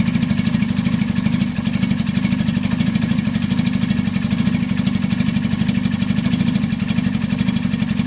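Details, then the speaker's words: Rebuilt single-cylinder engine on a KSR motorcycle idling with thin-looking oil: loud steady idle with a fine metallic clatter over a leaky, open exhaust; engine has a rattle, still smoky, EGR blank-off stuffed with debris. Engine rattle. "That engine has a rattle in it, and it's still smoky, blah blah blah. It's got a lot wrong with it."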